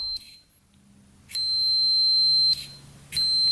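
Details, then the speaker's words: Continuity tester beeps steadily while the leads connect and stops when released: the side-stand switch on a free, non-running 1991 Kawasaki Vulcan 1200 passes continuity, so the switch is working; its two wires are then tied together to bypass it. "So that switch is working."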